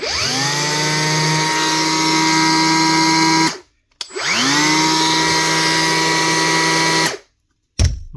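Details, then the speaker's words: Milwaukee M18 BP cordless planer after replacing broken drive belt and bad bearings: two smooth run-ups to a steady high whine, no rattle or grinding, spinning down cleanly; running healthy after repair. "Just nicely turn the blades this time and sound a lot smoother."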